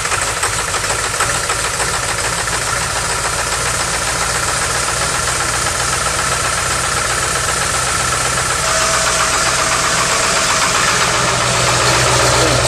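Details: 2002 Ford F-350 7.3 Powerstroke diesel, first start after a coil-spring axle swap, oil pan and seals, with the starter refitted correctly: heavy clatter, catches near nine seconds, then an even idle with no odd knocks. Normal start and idle.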